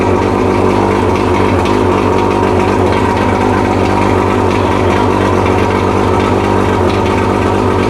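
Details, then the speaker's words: Mercury 115 two-stroke outboard, just rebuilt after a severely worn piston caused a loud hammering knock at idle, test-fired with water supplied: steady, even idle with a smooth burble, no knock or clatter; normal idle after rebuild. "Fucking sounds amazing. Yeah. Sounds a whole lot better than it did."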